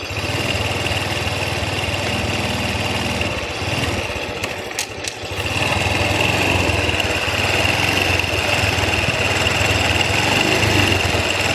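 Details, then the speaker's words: Honda Wave Alpha CX 110 misfires and stutters ("pugak") on initial throttle, clearing when revved hard; owner first suspected the ignition coil and is testing an XRM 125 coil, but suspects the CDI, which whistles when the key is on; uneven stumbling ignition misfire. "Pumupugak. Pumupugak siya ag entrada. Pero pag binirit mo na mawawala na yung pugak niya."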